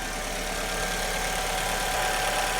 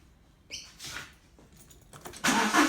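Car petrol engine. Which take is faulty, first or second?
second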